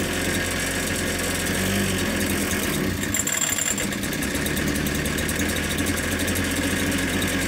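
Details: Ryobi 410 cultivator small two-stroke after swapping in a different carburettor, because the original's primer was cracked and drawing air: buzzes along at a fairly steady speed with a rattly, busy note, running on its own.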